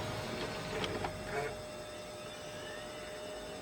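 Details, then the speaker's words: Original Xbox returned as non-working, on a retry after the drive sounded bad: a light whirring spin with a few soft clicks and seeks, then a steady hum. The DVD drive reads the disc normally and the game goes on to load. "okay that was a little better sounding and now now it's going to play"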